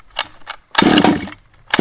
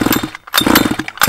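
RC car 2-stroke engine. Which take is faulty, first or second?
second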